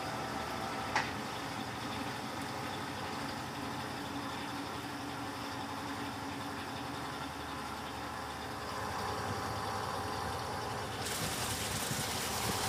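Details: Electrolux LTC15 top-load washer on the stain-removal program washing sneakers, final spin after the tennis shoe knocked the basket; smooth, even steady whirring, no knocks or scraping, foam behind basket normal: normal spin cycle.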